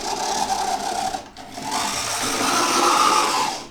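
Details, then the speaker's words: Oxford Rail Class 415 Adams Radial 4-4-2T model loco, second-hand and unserviced: a thin buzzing whir at low speed with a raspy edge; the motor sounds dry and needs lubricating. "Okay, something sounds like it could do with lubricating. That is definitely a motor sound."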